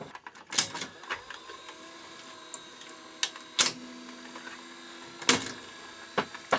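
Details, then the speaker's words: Ferguson 3V22 (JVC HR3330) VHS top-loader with Mk3 mechanism, cover off, old congealed grease: quiet whirring broken by irregular sharp clicks and clunks with stalls between; cassette loading mechanism sticking. "like getting stuck there yeah this is loading mechanism again with uh cover taking off"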